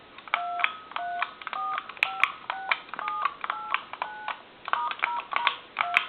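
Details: German telephone after conversion rebuild, final checkout of a new keypad board with 12 momentary switches: about a dozen crisp two-tone DTMF beeps at an uneven hand pace, each key a clean distinct pair; dialing works properly.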